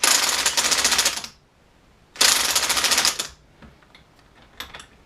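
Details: Alternator on the bench, spun by hand with the ignition on and a test bulb lit: two spins give bursts of rapid, even clicking that fade as it slows; the alternator is charging normally.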